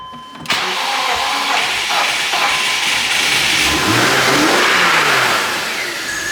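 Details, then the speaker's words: 270k-mile 2006 BMW X5 manual with a stuck idle air control valve (owner doubts it's the main problem); cranks and catches, revs sag and surge unevenly nearly stalling, then settles to a decent idle. "That start up sequence was pretty rough, but it started... It's running now."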